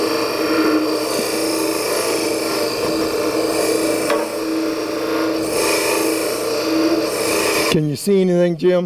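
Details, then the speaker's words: Woodturning lathe, negative rake scraper cutting inside a tulip bowl. A steady rasping whine with a held tone as the scraper chatters because too broad a section of its cutting edge is engaging the wood. "okay did you hear it begin to chatter at one point it did that because I was cutting wood on too broad a surface across the cutting edge of the scraper"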